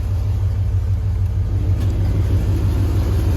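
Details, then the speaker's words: Second-gen Dodge Ram 5.9 V8 after replacing a bad alternator, charging 14 V, 13.8 V with A/C compressor engaged: deep even rumble, steady with no knocks or stumbles; idles normally under A/C load, previously ran rough. "all right let's crank the air on truck seems to be running more normal now"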